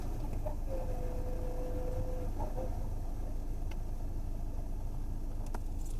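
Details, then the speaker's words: Skoda Rapid cabin at idle after repair: low, steady engine hum with no ticking or frog-like croaking from behind the dash; the earlier tak-tak noise came from debris in the blower motor (cleaned) and the vacuum motor (replaced), and the cabin is now silent. "गाड़ी एकदम silent हो गई है अंदर से भी कोई भी साउंड नहीं है"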